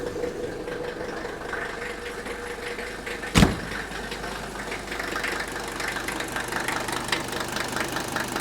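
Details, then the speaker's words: Older Mercedes diesel at idle after the fuel supply hose was disconnected for testing; it stumbles, probably sucking a little air, with a sharp clattery rattle of the fuel injectors over its beat, expected to quiet down as the engine runs. "it's going to stumble here a little bit because it's probably sucking a little air and you can definitely hear the rattle of the fuel injectors"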